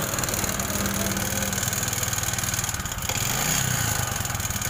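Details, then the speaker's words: Honda Supra X 125 single-cylinder: small revs with a coarse, uneven clatter over the exhaust beat, said to get harsher when hot; rough running. "ini kalau mesin panas suaranya lebih kasar lagi mas bro Oke sekarang kita matikan Nah jadi suara mesinnya ya seperti itu mas bro semacam seperti suara jetor atau pabrik paku"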